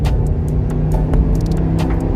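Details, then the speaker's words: Rebuilt 2008 Chrysler Aspen 5.7 HEMI V8 accelerating hard onto the highway: deep even V8 roar with no knocks or misses, strong and healthy engine. "When I said she runs like a rape tape, this thing runs like a rape tape. Look at that Hemi. She's gone, man."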